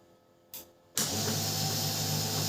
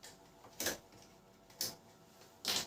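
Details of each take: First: Canon LBP 6030 laser printer after gear repair, at power-on: click then steady, even motor whir with smooth gear noise and no grinding; earlier gear noise problem solved. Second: Canon LBP 6030 laser printer with sound problem while printing: three sharp dry clicks about a second apart from one side, suspected gear/feed drive fault; cause unconfirmed.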